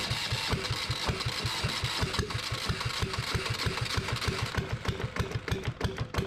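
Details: Yanmar 1GM single-cylinder marine diesel in a shop, with cooling water running through for cooling-passage flushing after fuel bleeding: steady thumping at about three beats a second, firing evenly with no misses, not bouncing much. Normal running.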